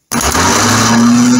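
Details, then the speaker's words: Starter motor from a 1975 Triumph Trident T160 engine, bench tested before servicing: clean, steady whir as it spins up, no rasping or dragging. The solenoid thrusts the Bendix forward and the motor turns freely; normal starter operation. "that's working properly appendix is thrusting forwards and then the actual motor is turning so we know we have a working starter motor which is great"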